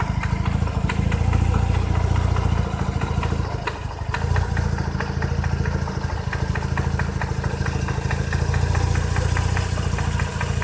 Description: Rx8 engine knocking starts fine drives great its just that engine knocking and when I give it some gas it sounds more please help!!